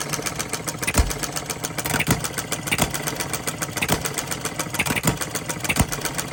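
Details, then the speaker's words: Small Coles engine, flywheel loosening from shaking; quick even ticking with a heavier thump about once a second, some shake from imbalance; starts right up, owner 99% pleased, normal running. "I'm pleased with the way, I'm 99% pleased with the way it's running. It does start right up."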